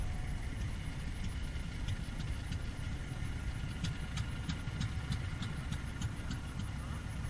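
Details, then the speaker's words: Fairbanks 208 single-cylinder oil-well engine, just started by spinning the flywheel: slow, uneven, faltering chuffing with sharp ticks, barely keeping running; suspected not enough gas from the well yet, probably being fed gasoline. "Trying to keep her going. Having trouble get Oh, we're probably not good enough gas coming off of that well yet."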